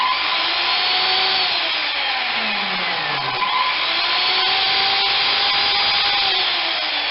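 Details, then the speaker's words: Skilsaw SPT77WML worm drive 7-1/4" circular saw from a junk pile, test run: motor winds up to a smooth steady high whine and coasts down evenly, no grinding or rattle; runs fine, only the blade nut looks worn. "Seems to be okay. Alright. That one runs."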